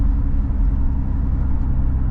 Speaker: a rusted out exhaust part that I gotta replace. But I just bought a new one, no big deal.